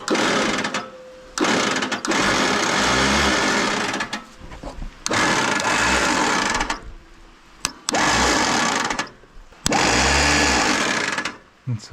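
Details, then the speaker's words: Allis Chalmers tractor, believed late-1940s WC, unrun 20+ years, starter energized by touching two wires together: repeated two-second free, high whirs winding down with no engine turnover; starter motor spinning without engaging the flywheel. "H the starter isn't engaging on it's just"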